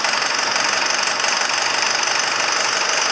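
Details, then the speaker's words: 6200 diesel engine first started in three years: fast rough knocking about four beats a second over a tight-sounding idle, seeming to tighten up, later loosening; cause unclear. "oh but it sounds like it's tight for some reason didn't it sound like it was tightening up"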